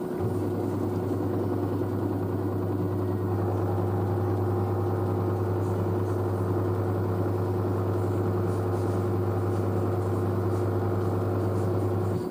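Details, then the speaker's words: New washer dryer spinning up at 600 rpm after a pre-spin: a low steady hum with a faint motor whine and no thumping or rattling. It is quiet; the front panel flexes slightly but the machine stays stable. Normal spin cycle. "the front panel flexes a bit there but the actual machine is quite stable so so it's so quiet 600 rpm so"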